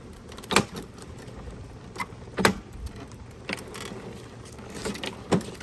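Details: Husqvarna HU725AWD all-wheel-drive lawnmower, over three years old: sharp pops every one to two seconds over a low mower drone from a rear wheel, and drive sometimes stops completely. A drive gear is missing a tooth, fixed with a new wheel.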